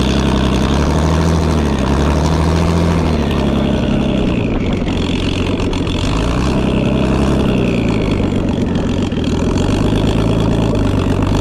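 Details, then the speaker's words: BMW E36 freshly fitted with a turbo and no tune, smoking heavily, previously gutless with rod knock blamed for stink: loud, deep note surging and lumping irregularly at low revs, running really rough; raw turbo sound. "It's definitely running really rough."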